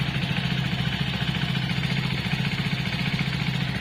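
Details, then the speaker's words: Hero Splendor BS6 i3S motorcycle, morning cold start at idle: fast, steady light ticking from the head over an even single-cylinder idle; owner thinks it sounds normal but is unsure if it is a head problem. "तो I think यह आवाज सही है या गलत है आपकी bike में भी इतनी आवाज आती है तो मेरे को कमेंट करके जरूर बताए या फिर कोई हेड की प्रॉब्लम हो चुकी है"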